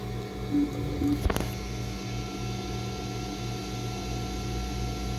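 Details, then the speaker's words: Replacement Monoprice Voxel 3D printer, first layer on seemingly flat bed: steady stepper hum and motion whir with one brief click on a travel move, no scraping; printing normally. "but I don't hear scratching, and so if they fine-tuned it, they really fine-tuned it, because it looks like it's going pretty good."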